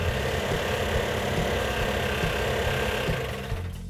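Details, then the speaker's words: 1970 Cuda 340 V8, rebuilt a year earlier and left sitting: fast rough loping run with metallic valvetrain clatter; compression test showed low compression, owner suspects rings stuck to pistons. "we actually had three problems when we initially fired it off it was running on about six cylinders"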